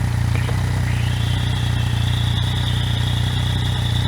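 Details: Yamaha MT-09/FZ-09 idling after replacing the stock cam chain tensioner with a manual one, tension set by mechanic's stethoscope between chain slap and chain whine: a steady, even idle with a faint thin whistle and no rattle. Normal idle.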